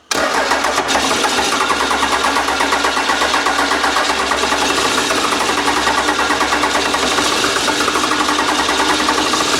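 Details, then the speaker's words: Old 12-valve Cummins diesel, stored almost a decade, starting spray nearly used up: steady fast cranking with even compression pulses, no firing; still not returning fuel, system may be dry. Crank, no start, no fuel delivery. "the the can of consent is just about out still not returning fuel so no that means it hasn't got any there yet system might be black"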